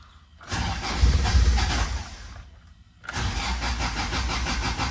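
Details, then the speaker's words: Toyota AE86 4A-GE with fuel pump relay pulled to depressurize fuel system before fuel filter change; two bursts of steady cranking, about three turns a second, that never fire; no start as intended. "All right, now that the fuel pump relay is actually out, what I'm gonna do is crank it."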